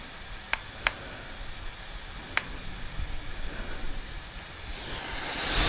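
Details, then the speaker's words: Steam Deck at 15 watts after electrical tape fan fix: soft, even airy whoosh with no whine, only a few handling clicks; fan airflow sounds normal. "I don't know if you can hear it on camera, but I'm not hearing a whine. I'm hearing a whoosh. It's a whooshing sound."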